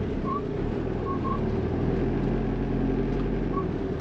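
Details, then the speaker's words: Ford VH Transit diesel after replacing the diesel pump timing solenoid (earlier loud diesel knock, power loss, code P0149 fuel timing error): started and revved, quiet even running with no rattle or knock; normal idle, fault fixed. "try and start it yep it didn't rattle can you rev it a bit the seat is sounds normal excellent"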